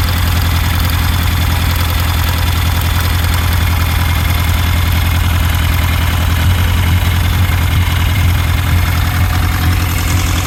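Low idle with a lumpy, uneven beat where the rhythm keeps stumbling rather than running smooth, consistent with one cylinder misfiring.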